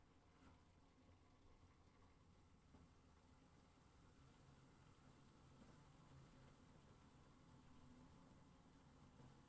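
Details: Brand-new LG FWY606WWLN1 washer-dryer during the drying cycle: a quiet, steady high-pitched whine over soft rushing airflow, seemingly from the drying fan; unclear whether this is normal or a fault.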